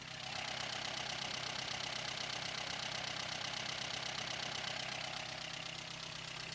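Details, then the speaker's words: 1953 Sunbeam Alpine Mk 1, restored, microphone placed in the engine bay: even, steady idle with a regular constant tick, no bottom-end knocks or exhaust leak chuff. Normal idle, engine runs sweetly. "All right, well that sounds nice. Idle's very steady. Well, that sounds pretty nice. Engine runs sweetly."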